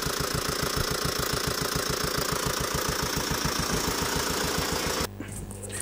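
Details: Tata Safari Dicor diesel at idle: heavy even clatter about three to four knocks per second; five rocker arms broken after engine run without oil by mistake and slightly wrong timing belt.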